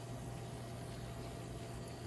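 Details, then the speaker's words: Intermountain N-scale SD40-2 locomotive bought with a known running noise and a flickering headlight, bare mechanism running: smooth, even low motor hum with no clicking or grinding; normal quiet running, so the noise lies elsewhere. "a very quiet mechanism. See how that backlight was flashing? Yeah. Okay, so the electronic issues aside, that's not causing our noise."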